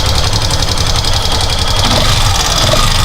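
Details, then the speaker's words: Facto 150 motorcycle idling after the owner adjusted the valves himself: fast, slightly uneven tapping from the top end over a steady idle, about 220 a minute, from a knocking rocker arm; valve clearance is set too loose. "Balancinho está batendo. Só isso. Mais nada."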